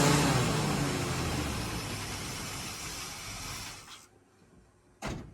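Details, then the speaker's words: 1987 Chevy K5 Blazer 350 V8 with TBI, long-sitting, first run after a new fuel system: loud, even running at raised revs easing down before cutoff, no misfire or stumble; normal running. "So, we finally finally got the old girl to fire up and stay running is on its own"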